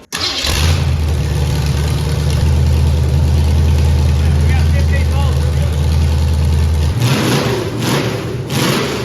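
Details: Ford Pinto with V8 swap, new Holley fuel system, MSD ignition and nitrous kit, after evening up the mixture screws: engine catches and settles into a steady, deep idle with a uniform burble and no misses or stumbles.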